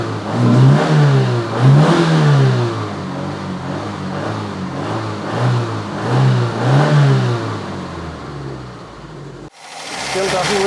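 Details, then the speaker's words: Opel Ascona being revived after sitting, old fuel still in the system after fresh fuel and refitted lines: throttle blips, revs sag and won't hold a steady idle; owner hopes it improves once the old fuel is used up. "hopefully it will start to run a little better once the uh fuel in the car is used up"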